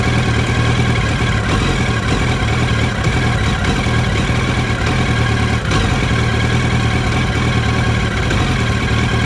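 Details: 2007 Yamaha R1 with new spark plugs and original coils recently developed a rough idle: loping, uneven beat with occasional stumbles like one cylinder dropping out, a misfire.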